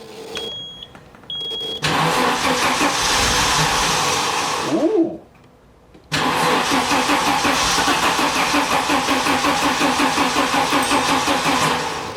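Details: 1987 Audi 5000CS turbo that sat 20 years in a field, fuel pump not working: key-on chimes, then two spells of even cranking around three beats a second that never catch; crank no-start from no fuel delivery.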